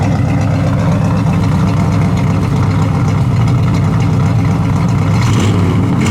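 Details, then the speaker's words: 1972 Chevelle SS, 350 4-barrel V8 with automatic and dual exhaust, idling about 800 rpm with 40 psi oil pressure, then briefly revved: a deep, smooth rumble with no knocks or misses; healthy V8. "It's got a really nice dual exhaust sound to it."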